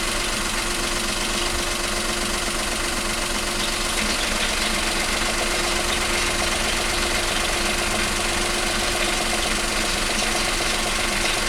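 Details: 2019 Opel Crossland X 1.2T 130 hp, 6-speed manual, about 1,100 km: at idle a light uneven gearbox rattle and faint hum start when the clutch pedal is released and stop when it is pressed; rough shifting into and out of 2nd gear.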